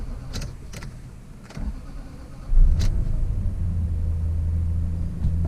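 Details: Lexus LS430 after VVT solenoid replacement and check engine light reset: short crank, catches cleanly and settles into a steady, even low idle with no misfire or ticking; check engine light stays off, repair successful.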